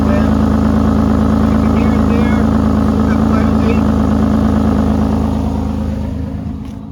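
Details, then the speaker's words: 1986 Ford F350 6.9 IDI diesel idling after welding exhaust holes: sharp, rapid puffing tick at about four per second on every pulse, a significant exhaust leak; owner suspects an unchecked pinhole where the hanger bracket was welded. "now I'm not sure what happened I thought I got most of the holes and that's a pretty significant leak"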